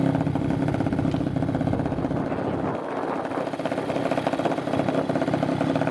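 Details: 2021 Apollo RFZ 125 dirt bike after sitting months, first start with new exhaust, carburetor and filter: steady, even engine beat at constant speed, no knocks or misses; running smoothly.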